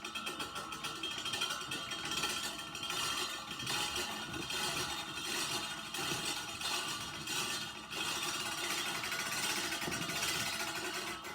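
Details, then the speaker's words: Reel mower backlapping with lapping compound freshly applied after adjusting the reel closer to the bedknife: steady raspy grinding as the spinning reel rubs the bedknife; normal backlapping, compound cutting in and sharpening. "know it's doing its job, and it's creating friction between here and here, between the reels and this knife edge, and it's sharpening it."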